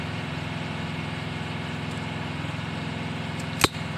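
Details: Mitsubishi L300 petrol that only clicked when cranking despite several starter services, after fitting a starter relay wired from the battery: steady even idle with smooth low beat, single click near the end; runs normally.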